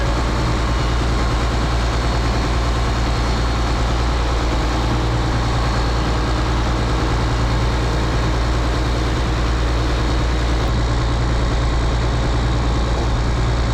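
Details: Rebuilt 8.3 Cummins diesel swapped into a Case IH 2366 combine, straight pipe, first run: steady, even fast idle with deep drone, no knocking or missing; was choppy at first then smoothed out and smoke cleared.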